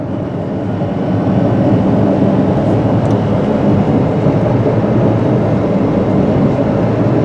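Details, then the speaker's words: 2001 Subaru Forester AWD, 2.5L boxer 4-cylinder, test drive up to about 60 mph in fourth gear: a steady low droning hum from the rear that changes when swerving; likely a worn rear wheel bearing. "All right, I do hear a bearing noise in the back of the car. It does change when you swerve the wheel."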